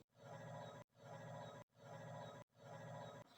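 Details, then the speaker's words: Samsung refrigerator evaporator fan: rough, raspy grinding in repeating bursts about once a second as blades catch on ice built up from inadequate defrost; noise stops with the door open, returns seconds after closing. "The fan's making a very annoying noise, grinding noise basically."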